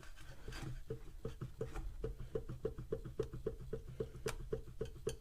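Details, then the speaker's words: Karcher HD 6/15 pressure washer motor after replacing a melted switch (has 20-degree thermal fuse): sharp hollow knock repeating about four times a second, unevenly, as the motor turns; rotor has play in its housing, possibly from the melted switch; motor to be disassembled. "the problem is that the switch is melting the rotor is playing in the case if you hear I"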